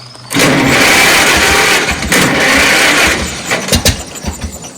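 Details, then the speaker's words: Old John Deere tractor that needed long cranking to start, in neutral after reassembling the distributor, where a dirty rotor button was suspected: a few seconds of steady cranking with uneven firing before it finally catches. "So, she wanted to start. So, we we've tested everything out. And it could be it was just that that rotor button was dirty."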